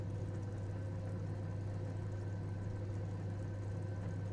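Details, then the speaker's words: Gas boiler heating circulation pump after excess air was bled through its screw plug, burner running: steady, even low hum with no rattling or roaring. Normal circulation pump operation. "now turn we hear the sound of all involved including the burner has earned the pump is no longer roars"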